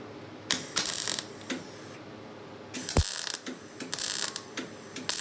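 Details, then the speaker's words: MIG welder with the power set far too low: irregular crackling bursts with dead gaps instead of a steady sizzle as the arc keeps dropping out, leaving no penetration whatsoever. "It's very unhappy. He was not happy. Yeah. I hope you can hear it. It didn't sound very good."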